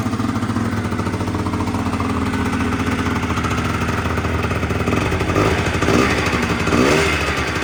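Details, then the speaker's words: Honda Dio 100cc two-stroke scooter project, first start; steady fast buzzing idle that never settles lower, owner notes revs too high: high idle speed. "[музика] за великі обороти ть"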